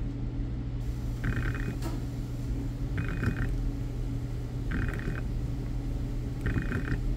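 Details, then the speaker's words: BMW E60 electric water pump bench test, powered off 12 V and grounded: a short buzzing click repeats about every 1.7 seconds over a low hum, never spinning up; the pump motor won't start and is faulty. "so what I notice is this something's wrong with the motor because it won't start it'll it'll tempt now you have to watch them you can hear it moving it tries to"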